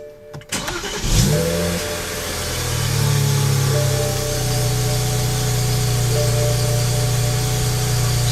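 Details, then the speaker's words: BMW N54 engine with long crank before it catches, then an uneven, lumpy idle that smooths after a throttle blip. Also soot from the exhaust and smoke; possible fuel delivery problem, unconfirmed. "that's a symptom. Long starts, rough idle, soot coming out of the exhaust, smokes from both ends, possible fuel delivery problem."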